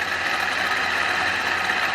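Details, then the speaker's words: Freshly built 454 big-block first fired, run about 10 minutes, carb on adapter plate; has oil pressure, owner suspects fan not good: even, steady idle with constant rush, no tapping or knocking. Normal idle. "So far so good. It's got oil pressure. Sounds okay. No knocking."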